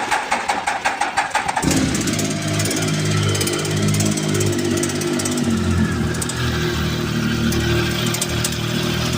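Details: Triumph Tiger 1050 engine: short crank, catches and settles to idle with a faint regular knock ticking over the exhaust note; source not identified.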